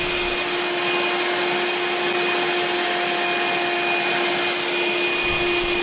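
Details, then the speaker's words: Craftsman 12-gallon wet/dry vacuum with no suction, running: loud steady airy roar with a fixed mid-pitched siren-like whine; strong vacuum, fan suspected clogged with debris. "well it's got an almighty amount of vacuum on it because it just sucked that piece of paper right off the side of the box and you can hear that it makes it not vacuum it just makes it into a siren"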